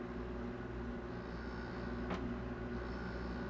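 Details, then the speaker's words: Heat pump water heater running after its cover is put back on: a soft, steady, quiet hum with no rattles or surges; normal, well-engineered operation. "So it's a pretty well engineered device."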